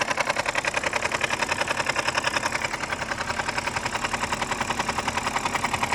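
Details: BMW 5 Series F10 with N52B25 engine, cold idle with a sharp, even tapping of about three or four knocks a second: oil pump knock on cold start, fixed by replacing the oil pump.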